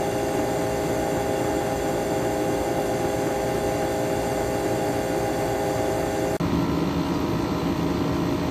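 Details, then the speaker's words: 12,000 BTU Frigidaire window air conditioner, recently repaired, running outdoors in hot, humid weather. A steady, even hum with fixed tones and no knocking. The owner thinks the compressor sounds like a reciprocating type. It runs smoothly and cools normally, with condensate already forming. "I know it's kind of random, but I'm not sure if it's just me, but this compressor kind of sounds like a reciprocating compressor."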